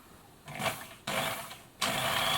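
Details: Bernina sewing machine, motor brushes and capacitors checked, insulation good, run via foot controller: three short bursts of smooth high whirring starting cleanly with each pedal press; motor spins up normally.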